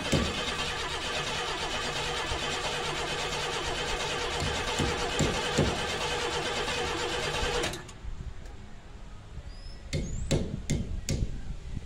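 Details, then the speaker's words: 1990 Camaro RS first start after 12-13 years stored, new fuel pump and sender, fuel lines blown out: uneven, labouring cranking for several seconds that stops without catching; rough sounding. "I just might get this thing dude the hell don't sound good"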